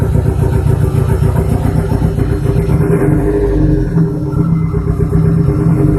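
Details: Big-turbo TT first start after sitting a long time, oil primed, on 2-year-old fuel: uneven, lumpy idle with stumbles in the exhaust beat; a misfire.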